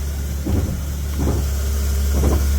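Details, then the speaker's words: 2010 Ford KA idling while steering is turned: three dull clunking bursts as the steering wheel turns without moving the road wheels; failing steering rack causing loss of steering while driving. "this is the wheel you hear that clicking and watch the wheel so that's when you turning the steering wheel and guess what the wheel's not moving"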